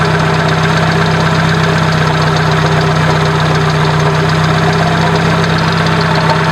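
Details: 1996 Dodge Neon idling, mic moved around engine bay; alternator bearings worn out, making a grinding, scraping undertone with faint whine, clear over normal engine noise, louder when revving; easily mistaken for internal engine noise, traced to alternator bearings.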